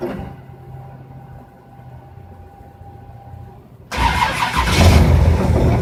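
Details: Engine with FiTech fuel injection: a few seconds of quiet hum, then the starter spins the engine in a steady churn but it never catches; crank, no start.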